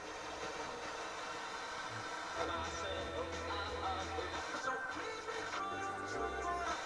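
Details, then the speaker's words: Sansui G-3500 receiver on service, no antenna connected: radio station plays music cleanly on the FM tuner in stereo, no hiss, static or dropouts; tuner very sensitive, though the pots are scratchy. "FM is working pretty good considering he's got no antenna connected. It's not really bumping the needle very much, but pulling in stereo easy. Yeah, it sounds good."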